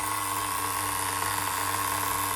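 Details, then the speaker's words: Duratrax Overdrive ST nitro with a Velocity .17 engine (cut crankshaft, different piston and sleeve, Tamiya carburetor): steady, even high-pitched buzzing idle without hunting. Normal clean idle, though slightly lean on top. "Listen to that idle. Never even heard most people's regular nitros, brand new, never even idled that good."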